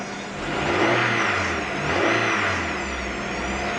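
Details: 1998 Honda Prelude, oil light flickering at idle and stops though oil level fine and freshly changed: hard whine rising and falling with revs; owner suspects oil pump, not power steering, pulleys or timing belt; unconfirmed.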